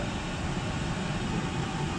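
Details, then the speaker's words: Oil-fired whole-house furnace (275-gallon tank) after primary oil filter change and air readjustment: steady, deep, even roar with no sputter, pulsing or dropout; staying on longer than last time — normal burner operation. "here we go readjust the air too staying on a lot longer doing more than it did last time"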